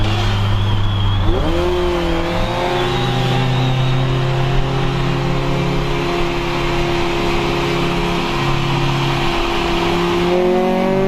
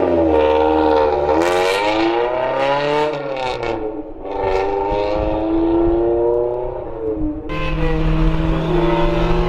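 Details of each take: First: Honda CRX, Spec-D catback with added Vibrant 2.25in muffler and bottleneck resonator before the axle-back, under acceleration: smooth exhaust tone climbing and falling with throttle through the gears, no rattles, drone or misses; healthy. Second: Honda CRX with an eBay Spec-D catback exhaust, before fitting a Vibrant muffler and resonator: revving four-cylinder with a harsh, raspy, tinny buzz. Loud raspy exhaust; muffler suspected to lack packing, to be cut open to verify.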